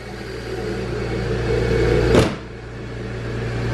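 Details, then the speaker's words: Supercharged BMW M3 at first start after a roughly $35 AutoZone repair for loud running, radiator fan fuse pulled; steady even idle with faint normal supercharger whine and one throttle blip, no knocks or rattles; now sounds normal. "that sounds like a normal car now. So problem fixed, only about $35 at AutoZone."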